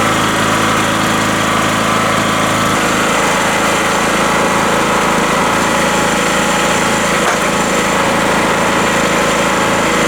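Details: Rotakt small petrol generator just after first start, choke at run, warming up with no load, voltmeter showing 232 V: steady, even buzzy drone with no misses or knocks, a healthy normal idle.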